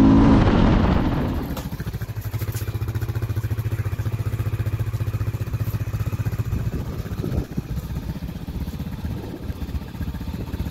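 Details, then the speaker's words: 2011 Honda XR650L single idling after top-end repair for a tapping noise, back running after sitting about a year and a half to two years: steady, even thump at three to four beats a second, no tapping; healthy normal idle. "it's all right yeah that does sound pretty good"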